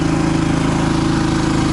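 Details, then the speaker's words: Champion 3400-watt dual fuel RV generator on propane in econo mode, at lower rpm than full blast, running the RV air conditioner and battery charger (114 volts inside). Steady, even low hum with no surging. Normal running under load. "So it's running just fine. It's running on propane and it's on econo mode. So these RPMs are a little bit lower than what it would be if it was on full blast."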